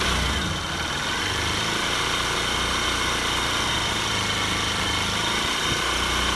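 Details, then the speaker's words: Honda Bros 150 single-cylinder motorcycle after an engine teardown for knocking, smoking and a weak clutch, warmed up after the first start. Steady, even idle with a light buzz from the stand underneath; the engine is now quiet. Normal idle. "bem caladinho aí é isso aí galera"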